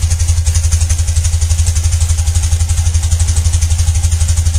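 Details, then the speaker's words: 1995 BMW Mystic twin, carbureted, sat a couple of weeks, just started: deep, even pulsing idle with no misfires or mechanical clatter; smooth, healthy. "But you can tell it starts up, idles nicely."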